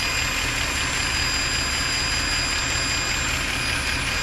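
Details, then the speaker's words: Mercedes ML63 AMG V8 idling: steady high hiss over a smooth idle, engine bay. Suspected vacuum leak from a solenoid or intake gasket among many vacuum lines; valve cover gaskets also leaking. "Could be one of these solenoids or an intake gasket. Something in here is making that noise with the vacuum"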